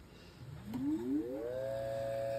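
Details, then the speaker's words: 1908 GE fan motor after new front and rear bearings, test-run on clip leads: hums up in pitch, then steady smooth tone; the internal centrifugal start switch clacks only faintly. Normal run. "now these 1908 Motors had an internal centrifugal start switch and upon starting and stopping you may hear a little clackety clackety clack uh this one's not too loud the GE Motors tend not to be as loud as the Westinghouse Motors"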